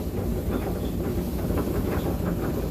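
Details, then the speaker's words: Electric clothes dryer, running after heating fix: drum rumbling with a soft repeating thump about three times a second as it turns; worn plastic drum rollers broken down by heat. "So I'm gonna have to get in there one of these days and replace that roller, because you could hear that roller making a bit of noise. And they're plastic, and what happens to them, of course, they operate in a high heat environment, and eventually they start to break down, and you start gett"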